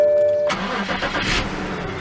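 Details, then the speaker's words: BMW that cranked but wouldn't start, after replacing the fuel pump relay: engine cranks briefly, catches on the first try and settles into a steady idle with no hesitation. "Wow Wow on the first try it turned this puppy on again"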